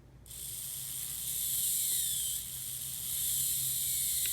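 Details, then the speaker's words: Classic 1980s Bachmann pancake-motor model locomotive with blue gears, unserviced but lubricated, running; smooth even high whirr start to stop, no clicks or skips; normal gear drive. "take a listen to what these blue gears sound like now I've never even serviced this but I can tell it's it's got some lubrication in it"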